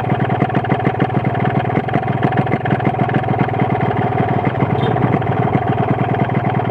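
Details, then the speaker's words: RX-King two-stroke motorcycle with aftermarket exhaust, at idle: sharp, evenly spaced metallic knock over the exhaust putter, rattling clatter; loose connecting rod and piston plus noisy reed valve diagnosed, low compression noted. "Oke ini adalah gejala suara setang seeker jelas Suara membran kemrucuk setang seernya jelas seer itu sendiri bunyi"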